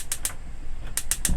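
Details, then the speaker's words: Lowlander Deluxe motorhome gas three-ring hob, 12-volt electronic ignition pressed down: sharp, crisp ticks about six or seven a second with gaps between bursts; normal igniter operation, needs gas bottle and 12V panel on. "so when i push that down you'll hear the tick tick ticking that's your 12 volt ignition"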